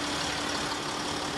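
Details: Land Rover Discovery 4 3.0 TDV6 diesel idling after a fuel filter change (LR009705) and self-bleeding: a steady, even hum with no misses, knocks or surges. No leaks were found and the change was done without problems.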